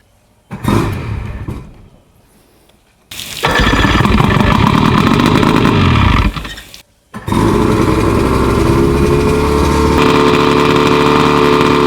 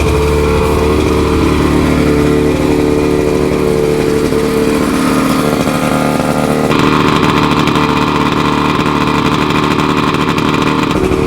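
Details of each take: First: 50-year-old OMC 50 hp two-stroke outboard (right of twin pair), first start after 5+ years of storage, with new fuel lines and primer bulbs, in neutral. Short catches, then a steady, raised, even idle with the warm-up lever down. Normal fast idle. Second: Roughly 50-year-old OMC 50 two-stroke outboard, run on ear muffs after 5+ years of storage, warm-up lever down, not pumping water: fast, steady, buzzy drone. Idling high; owner attributes it to jetting being off with the exhaust out of water.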